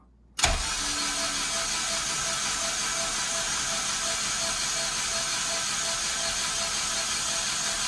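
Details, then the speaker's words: Honda K24 engine chasing a knock, cranked with spark plugs out to build oil pressure (about 20 psi); even steady starter whirr, no compression pulses, knocks or scrapes; owner suspects tune causing VTC gear rattle. "So it's gonna sound a little funny. But that's okay. We're just gonna build oil pressure and then try to hear if we can hear any kind of crazy noises."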